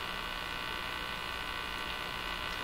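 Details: Crosley 43FB farm radio during shortwave trimmer alignment, tuned to a Portuguese broadcast: steady low buzz with bright hiss, unchanging; owner believes the buzzing is interference, unconfirmed.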